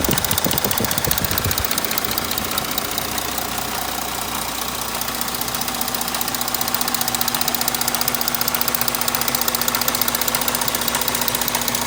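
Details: Audi 3.0 TDI diesel at idle with a sharp even ticking knock two or three times a second over a bright clatter; source undetermined.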